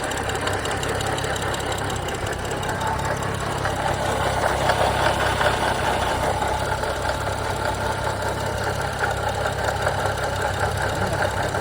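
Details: 2011 BMW 335i idling evenly with a faint irregular tapping under two per second; owner says it doesn't stall, temperature doesn't rise much; odd idle noise, source unknown.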